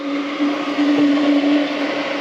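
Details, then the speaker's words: Sefaspe MMA 120 stick welder, 110 V, 120 A max, on 20 A household circuit: internal cooling fan kicks in with steady even mid-pitched whir and hum, no rattle or scrape; cooling fan running normally. "Notice you can hear the cooling fan kicking in."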